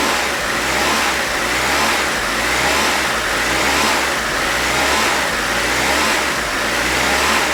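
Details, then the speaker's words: 1992 Mitsubishi Galant VR-4 at idle, rising and falling about once a second instead of holding steady, after fixing the screw vacuum leak and reinstalling intercooler pipe; idle surge persists, cause still unknown. "so as you can see the idle surge is still here so we still need to hunt more to find out what could be causing it"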